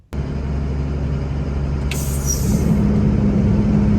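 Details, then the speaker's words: FMTV diesel truck fan clutch: diesel idle rumble, short air hiss, then deep freight-train roar as cooling fan clutch engages; normal fan clutch engagement. "how do you know the fans turning on or off you'll hear it it sounds like a freight train uh you'll hear the clutch engage"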